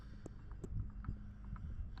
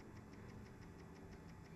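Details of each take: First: Mercury Optimax 150 outboard air compressor turned slowly by hand: light dry click at the same point each rotation, with shaft and pulley moving up and down from crank journal wear; compressor was not noisy when running. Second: Mercury Optimax 150 outboard after air compressor replacement, oil pump prime test: light, even clicking about six per second, each click a diaphragm pulse pushing oil to purge air from lines; normal oil pump priming.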